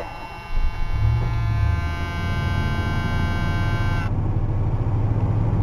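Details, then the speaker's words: Ford LTD cold start with pedal pumping, then idle, after the previously loud, poor exhaust: catches after a few turns and settles into a low, steady, muffled idle with no blowing or rasp, much quieter. "much much quieter though it's pretty amazing what uh little water and the rag will do"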